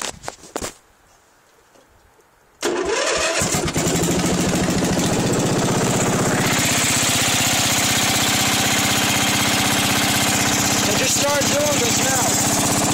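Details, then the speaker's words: Craftsman pull-start small engine catches and settles into a steady chug of about four beats a second. It smokes heavily, and oil was nearly gone just after a refill, though it ran fine without smoking the day before. "And then started it up now, a couple minutes ago, and it was smoking, and I checked the oil, and there's almost nothing in it. I just filled it up, and it's smoking like crazy."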